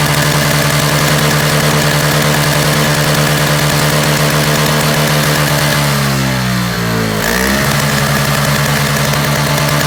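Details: Free roadside Toro single-stage snowblower with a missing primer bulb and Seafoam added, run on and off choke: a steady two-stroke buzz with one brief dip and recovery, then an even, healthy idle.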